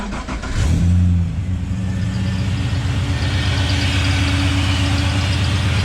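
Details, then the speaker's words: Nissan Patrol GU with LS1 V8, idling after work with a new gasket and new slave cylinder: engine settles into a nice idle with a thin squeak from the power steering pump, water on the pulleys from washing the radiator; exhaust leak gone. "that squeaks a power steering pump all that water is from when i wash the radiator smells nice oh idle's nice the power steering's making a bit of a noise and there's a bit of water on the pulleys"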